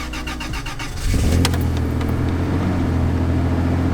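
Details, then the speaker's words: First-gen Toyota Tacoma 4x4 after replacing destroyed radiator fan with new Aisin fan, fan clutch fine; about a second of even cranking, then catches cleanly into smooth, steady idle; idle vibration gone, normal start and idle. "oh instantly instantly i can tell that the vibration is gone"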